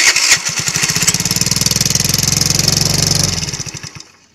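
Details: Motorcycle single with no compression from a stuck intake valve, valve clearance adjusted, started with the valve cover off: brief cranking, then an even, quick steady putter before shutoff, a clean healthy run.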